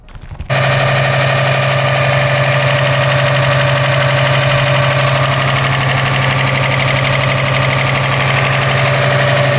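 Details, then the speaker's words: Subaru STI with newly installed engine that previously locked up: fast, sharp, even ticking knock at idle, about four per second, same noise as before despite a new timing belt tensioner; timing belt suspected, not confirmed. "this car just hates its life I don't know if you guys just heard that but it sounds like the same noise as last time but we put a new tensioner on it"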